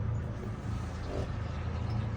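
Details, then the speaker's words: Boat with twin outboards, started at the helm after trimming down: a low, steady hum with an even beat and no knocking or missing as both engines idle smoothly. "go ahead and start port engine you just hit it once can hear the engine fire up starboard hit it once and she's fired"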